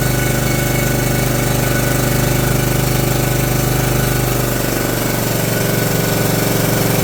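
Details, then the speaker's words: John Deere LT150 mower with swapped-in replacement 15 HP Kohler engine: loud steady single-cylinder thump at even pace, no misses or knocks; runs better and quieter than the day before, normal running. "it does run better than it did yesterday and it's quieter"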